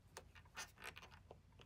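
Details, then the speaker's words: Tesla Model X front air strut removed during replacement, worked by hand with no motor: irregular dry creaks and squeaks from the strut; owner plans to lube it. "it's seems to be you can hear a little creaking yeah you hear that so yeah I might might squirt a little Lube up in there"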